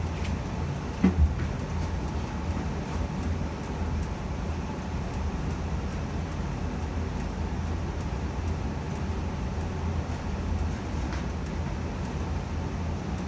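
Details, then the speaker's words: Evcon gas furnace installed February 2020, just shut off at thermostat: burners off, blower keeps running while heat exchanger cools; steady low whoosh of air with no rattles or scraping; normal blower run-on after shutdown. "okay so i just turned it off at the thermostat as you can hear the burners turned off and now the heat exchanger is cooling down and the fan will turn off very"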